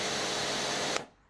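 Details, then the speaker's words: Karcher K5 Compact pressure washer after fixing an internal leak by replacing the pump-top plastic manifold: steady, even spray hiss with no surging, cutting off cleanly; brief starving from trapped air cleared, now constant and leak-free. "I'm assuming there's still a little trapped air in the pump. That's better, it's constant now."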